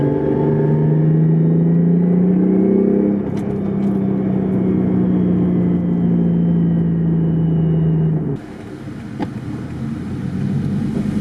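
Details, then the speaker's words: Built R154 manual in a daily drift car with a welded diff, driving: a steady low drivetrain hum and faint gear whir rising with road speed, no clunks or grinding. Gearbox sounds healthy. "You get a noise like that, and that's just gear rattle, so nothing too harmful. Literally, it's just like the frequencies from the engine and the transmission matching, and it's making the gears rattle."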